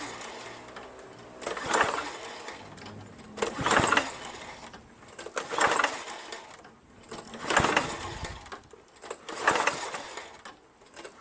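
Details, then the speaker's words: Lawn-Boy Insight 10682 mower, Tecumseh 6.5 engine, no air filter, starting fluid sprayed in: repeated recoil pulls with quick whirr, no firing; feels like no compression, owner suspects no spark, cause unconfirmed. "I mean you don't hear the pranking of the engine you just it's just pulling you know you can you can hear nothing you know that worries me a bit maybe it's not getting any spark"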